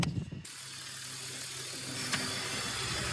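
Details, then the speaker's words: BMW E46 during a DIY AC recharge from a can, engine idling: sharp clicks and slight load shifts as the compressor clutch kicks in and out; clutch cycling. "And you can hear the clutch kicking in and out."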